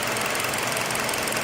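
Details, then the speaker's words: 2017 Hyundai Elantra, code P0301 cylinder 1 misfire, no check engine light: short idle with choppy, uneven ticking beat; misfire moved from cylinder 1 to 2 after swapping ignition coils, pointing to faulty coil. "no check engine light so there were still a misfire I hope you guys can hear it"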